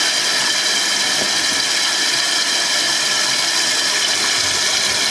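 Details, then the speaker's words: Toilet tank refilling after a newly replaced fill valve, fitted to fix a constantly running toilet, with the water turned back on. A steady hiss at constant pitch with no chatter or squeal. Normal tank refill. "And I'm going to turn the water back on. So you can hear it's filling."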